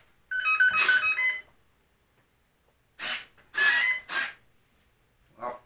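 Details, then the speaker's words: RC airplane ESC on power-up with radio on: series of musical startup tones, then two further tone bursts and silence; it does its arming routine but won't run the motor on throttle while control surfaces work; ESC not arming. "and the ESC sometimes does not arm it it'll make the beeps and that sits and it just it won't do anything"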